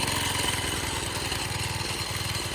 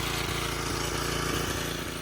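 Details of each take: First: 1987 Craftsman tiller that sat 20+ years, first cold start on choke after restoration. The single chugs unevenly at a fast idle, skipping beats (eight-stroking). Cold and a little rich; owner is 99% sure the carburetor jet is too big. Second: 1987 Craftsman tiller, revived after 20+ years, at wide-open throttle after mixture adjustment: the single-cylinder engine fires with a quick, fairly even beat and only slight unevenness, running much better.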